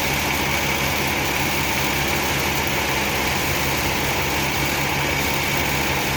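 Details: Rebuilt 1966 Ford Mustang 289 V8 after first start, running outside for around 15 minutes with good oil pressure. A steady low burble holds an even idle with no knocks or ticks: running healthy.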